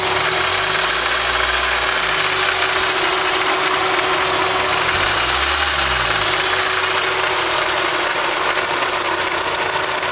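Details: Idling petrol engine with a loose metallic rattle first suspected as timing chain and guides, actually the alternator pulley; rattle gone afterward.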